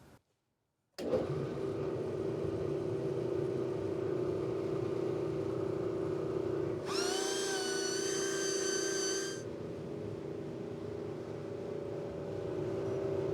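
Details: Industrial dust collector blower restored with new 3D-printed fan impeller with more blades, curved: steady hum with constant mid tone, briefly joined by whistling air rush, no rubbing or wobble; big improvement, running normally.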